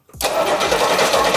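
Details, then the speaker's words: Barn-find Rolls-Royce being recommissioned on a new battery. Starter cranks evenly but it never fires; coil confirmed not weak, yet no spark from the lead. A new electronic ignition was fitted and a faulty distributor cap was found to be the cause. "Jesus there is no spark out of that lead"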